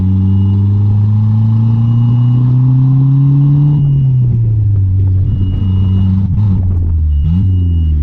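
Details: Mitsubishi Conquest turbo (G54B), after swapping fuel pressure regulator: steady drone sags and wavers unevenly as it stumbles and chokes down; owner suspects it runs so rich it chokes out, AFRs erratic, fuel pressure correct.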